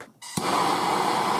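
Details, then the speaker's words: Torch lit to gently warm (not red hot) a Morse taper lathe live center during rebuild so a part can be pressed in; soft pop then steady even hiss, no sputter; torch burning normally. "now you don't want to get it red hot i just want to get it warm and see some condensation forming in there"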